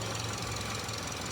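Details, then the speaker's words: Subaru engine just reassembled after repair: steady metallic rattle and knock over the idle, harsh and continuous; source not yet found. "видимо, хреново как-то. Что-то бренчит. Че бренчит-то?"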